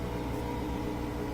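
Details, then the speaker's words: Bosch Axxis washing machine that won't spin during cycle, drain phase: steady, even motor hum with a slight airy roar as the drain pump spins on an empty sump hitting air; louder but normal. "So that's just the sound of an empty sump. That's the motor spinning, hitting air, so it's a little bit louder. That's normal."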